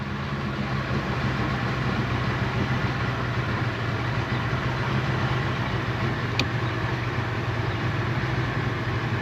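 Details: Johnson Evinrude outboard on pontoon boat after replacing ignition switch and rectifier; steady even low rumble with no misses, knocks or surging, smooth normal idle.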